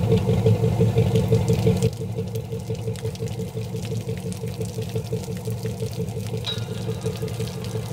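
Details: 1999 MasterCraft MariStar boat, newly installed TBI engine first start on hose after fresh battery: even steady idle, smooth low rumble, regular firing, water splashing; oil pressure great, running healthy.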